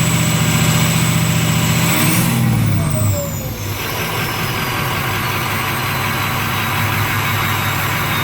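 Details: Ford 6.0 Powerstroke diesel after replacing the number 8 fuel injector for excessive smoke, high-pressure oil system refilled: falling whine at start, then a steady, even idle clatter with no misses; normal idle.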